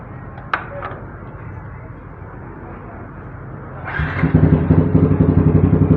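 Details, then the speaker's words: 2015 Yamaha R15 motorcycle, about 57,000 km, loud aftermarket racing exhaust: quiet idle then a blip to a crisp, even, aggressive exhaust pulse, pull fine, no knocks. Normal running. "oke, tarikan aman. Untuk kaki-kaki juga masih aman. Nah, untuk knalpotnya masih galak ya."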